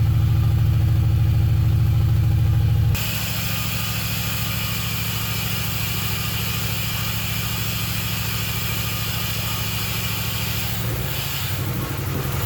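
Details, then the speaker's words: Camaro, first start with the key after rewiring through the firewall, mufflers and pipes fitted: fast, steady idle that sits noticeably high, then settles a little lower, with no knocks; idle too high, owner thinks it needs a proper tune. "i i really think it's idling way too high but i think a tune take it to somebody and get a good tune and go from there"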